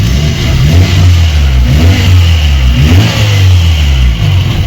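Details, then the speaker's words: VAZ 21099 after head and engine repair, warming up: engine revs up and down with a loose buzzy rattle underneath riding on the exhaust note; exhaust rattling underneath noted, likely a loose, leaking exhaust. "ну я показував переступ і десь вихлоп там у нас знизу де ренчить"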